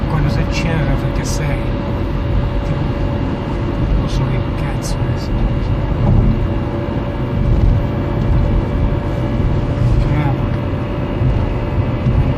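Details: Peugeot 307 1.6 16v manual gearbox: steady mid-pitched whine over heavy low drivetrain rumble. Oil was not low and has been changed; shifting is better but the noise remains. Owner suspects the gearbox thrust bearing, unconfirmed.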